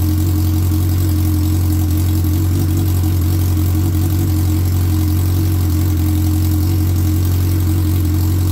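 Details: 2003 Suzuki Hayabusa, first start after repair; the oil light goes off right after key-on: steady, smooth idle with an even low drone and no ticking, knocking or misses. Normal idle.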